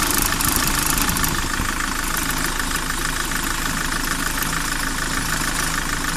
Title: Кайрон посторонний звук в двигателе